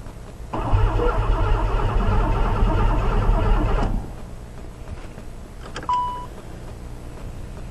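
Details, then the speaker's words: Oldsmobile Ciera sitting eight years, new battery, fresh gas: even cranking about three turns a second, no firing, no fuel pump hum; cranks but won't start, fuel pump not working, fuse suspected. "all right yeah like the gas gauges working don't hear the fuel pump"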